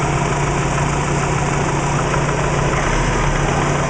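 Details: Subaru Legacy with WRX flat-four idling: steady, dull knocking keeping time with the engine; owner suspects piston slap, not confirmed.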